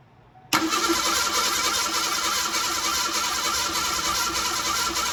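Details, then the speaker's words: 1987 Ford Bronco II, abandoned 15 years: the starter spins the engine steadily for several seconds but it never fires. Likely no spark. "And then I'd video some more, and then I turned off the lights, and I figure that I don't have spark."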